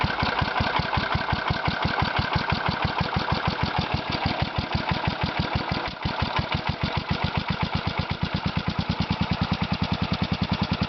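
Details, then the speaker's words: Kohler Magnum 16 hp (K361 block) single-cylinder engine for a Bolens 1256, muffler leaking and air cleaner off: loud, uneven thumps about twice a second at a very low idle; rough idle that still needs adjustment, cause unconfirmed. "Started doesn't sound the healthiest, but I'd never owned a Kohler before, so don't really know what they're supposed to sound"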